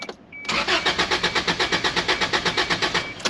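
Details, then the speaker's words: Isuzu Trooper that had been running badly: starter cranks in steady pulses about four a second for three seconds with no firing; crank no start, no spark, owner suspects the ignition coil. "yeah no start and i took everything apart sounds like it's the coil i don't have any spark"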